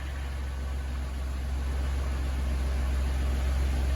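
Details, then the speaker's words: Van engine just reassembled after repeated overheating and a teardown: smooth, even low purr at idle like a purring kitten, no ticking or knocking, little or no smoke; quieter than before, normal idle. "it sounds like a a purring kitten I don't even hear a tick that is surprisingly quiet"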